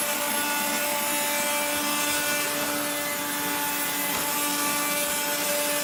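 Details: 1970s blue Regina Electrikbroom 3-speed vacuum, just arrived, vacuuming a floor. The motor and especially the fan are dry after someone washed it. A steady motor whine has a rough, gritty hiss at constant speed from dry, grinding motor bearings.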